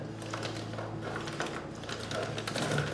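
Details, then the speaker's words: BikeMaster BMOR 525 chain on a Suzuki V-Strom, turned by hand with too much slack: light ticking with a catch once per turn as a stiff link binds going around the front sprocket; chain to be replaced. "It's binding. You see how as I roll it forward, the chain tightens up right here? Right there. It's having a hard time in this spot rotating around, and I can, like here it's smooth."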